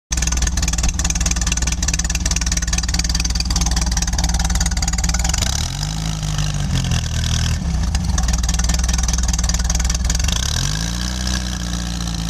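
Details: 1966 VW air-cooled engine: uneven idle with brief rev blips and busy mechanical clatter; recorded for diagnosis, owner checking for a loose cylinder head, cause not confirmed.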